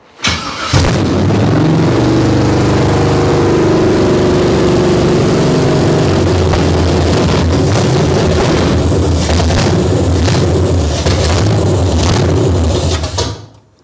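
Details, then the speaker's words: Abandoned 1968 Camaro small-block Chevy V8, first start, with fuel pump drawing: catches, high slightly uneven fast idle about twelve seconds, then dies, smoking; unknown vacuum leak suspected, carburetor tightness uncertain. "Okay, so it runs. I don't know why it died there."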